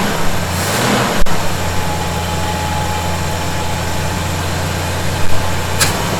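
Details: 1971 Chevy C10, cold start idle after snugging up loose bolts suspected of a noise: steady even low idle, smooth deep rumble, no whistle or hiss; owner thinks tightening may have been the answer; normal idle.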